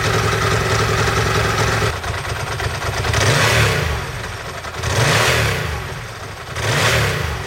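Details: Ducati 916/748/996 four-valve desmo V-twin started after a timing belt change: lumpy, loping idle with periodic throttle blips, firing evenly and pulling cleanly; sounds healthy.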